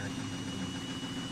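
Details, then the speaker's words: Thirteen-year-old Siemens front-loading washer spinning with 6–7 garments: even, steady low rumble without clatter or knocking; louder than when new but judged normal ageing, shock absorbers not at fault. "个是正常的声音啊。就这个呀，这也正常啊。这个是正常声音啊。"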